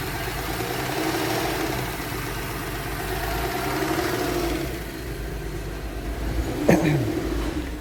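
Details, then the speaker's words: 2013 Porsche Cayenne VR6 (iron block, aluminium head) at idle: uneven shaking beat, rpm hunting up to about 1,500 and dropping, sudden surge; rough shifting also noted, no diagnostic codes; rough idle from blocked PCV valve. "شوفوا المحرك ديالها، سمعوا المحرك كيفاش كيدير الفيبراسيون وماشي ثابت."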